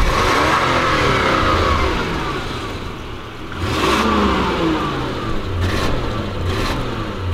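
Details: Revs climb briefly, then fall back and hover, unable to pass quarter throttle, on a Lexus LS400 stuck in limp mode. It began a few miles after valve cover gasket replacement; the throttle position sensor is believed fine, and leaking ECU capacitors are suspected.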